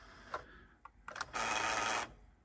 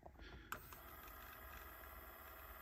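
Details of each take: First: Like-new Nakamichi Dragon cassette deck, rewind torque measured 55 (normal), 40 right/50 left: a few clicks then a short whirring run under a second that cuts out; playback fails, suspected not enough friction. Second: Like-new Nakamichi Dragon cassette deck on the bench during servicing, owner reports issues and the door won't open: steady motor whir, tape winding smoothly, clean clicks as modes change; fast forward and rewind work normally.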